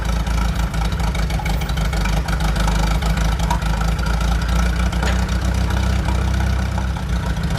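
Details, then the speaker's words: 1947 Chrysler, an old junker revived and started for a drive: steady, even low idle with smooth rhythm and no knocks or misses; judged a good runner, idling healthy, though the clutch is suspected seized. "It should uh just start at idle pretty good. Dangerous there. Sits down there. Nice. >> Good runner."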